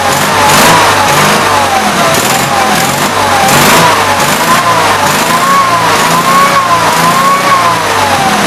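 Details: Gravely 8163-T garden tractor small engine after carburetor swap and new air cleaner setup: runs at an even speed with mild rise and fall in pitch, no knocks or misses; normal running.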